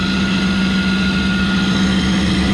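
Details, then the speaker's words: York rooftop unit gas burner assembly during repair (flame sensor, igniter, control board, carryover tube): steady loud droning hum at fixed low tone; combustion blower very loud, should also have been written up for replacement. "I can't hear myself think over this combustion blow are freaking"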